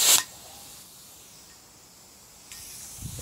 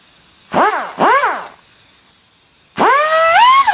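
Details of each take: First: Air tool with cutting disc test-run on compressed air: a sharp burst, then a steady thin hiss from a fitting not tightened enough, a compressed-air leak at the loose fitting. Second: Air cut-off tool test-run during MGB GT clutch work, before cutting off a bolt: two quick blips, then a clean high whine that spins up, holds steady and winds down smoothly. The tool works normally.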